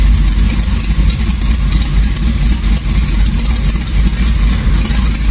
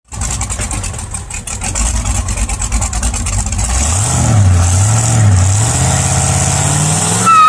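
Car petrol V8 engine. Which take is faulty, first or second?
second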